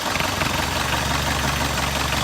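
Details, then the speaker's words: 1971 Alfa Romeo GTV, pre-purchase inspection: started cold, it sounded almost like a diesel with a heavy knocking noise. Warm idle still has a steady, diesel-like knock under the exhaust note, reduced but present. No oil in coolant, no smoke, cause not found. "When I first started the engine, it almost sounded like a diesel. So it was kind of noisy as far as like a heavy knocking noise. As it warms up, that noise is now dissipated somewhat"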